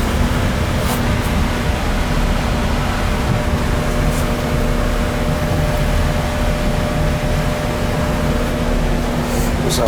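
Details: AC air handler after blower motor replacement, called in for no cooling and burnt smell: steady even blower hum, constant low tone, no squeal or wobble; blower motor running normally.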